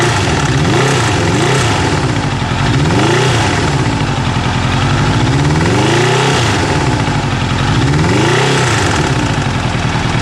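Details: Kawasaki GPZ900R engine: heavy low hammering under rising and falling revs, repeating every couple of seconds; engine also stutters above 3000 rpm; internal knocking, cause not pinned down.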